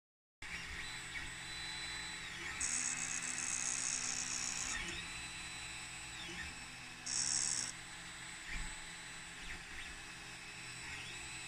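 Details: Ender 3 3D printer hotend: a harsh, gritty rattle and grinding sound while printing, with two louder grinding bursts. The cause is unresolved.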